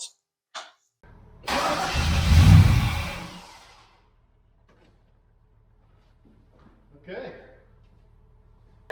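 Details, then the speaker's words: 1974 GMC Jimmy no-start, starting fluid sprayed down intake while cranking: catches, runs rough about two seconds, then dies; spark present and computer probably working, so not getting fuel; fuel pump suspected next. "well obviously uh with the starting fluid it cranked over so uh that's good news it means that we are getting sparked which probably means the computer's running the way it's supposed to"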